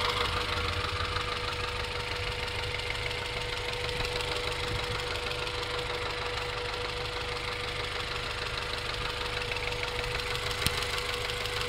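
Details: 1994 Acura Integra GSR at steady idle: light, fairly quick tapping about three per second; owner unsure whether rod knock, exhaust leak or valve lash.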